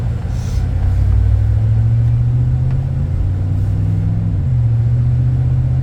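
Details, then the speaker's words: 2007 Chevy Avalanche 4x4 driving in two-wheel drive under acceleration, no check engine lights: deep, steady engine rumble pulling evenly with no knocks, misses or whine; good acceleration, motor sounds healthy. "Just right off the bat, it's got a good acceleration and the motor sounds good."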